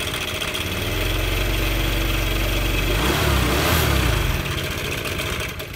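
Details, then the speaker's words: Honda Air Blade scooter at idle, then revved: loud metallic clatter from one side of the engine swelling with throttle; diagnosed as a failed cam chain tensioner letting the cam chain rattle. "Và bây giờ anh em bị sao đây này hợp phần bên này kêu khá là to đúng không ạ Đây là da đen pi anh em nhé tốc độ cầm chừng"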